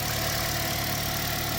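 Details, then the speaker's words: Toyota Corolla (ZRE152 or 182) after replacing all four ignition coils and four NGK iridium spark plugs for a misfire: steady, even idle with no shaking, running cleanly on all four cylinders; codes still to be cleared. "1, 2, 3, 4 new coils, 4 new spark plugs, and you can hear the engine is running nice. It's not shaking or anything like that."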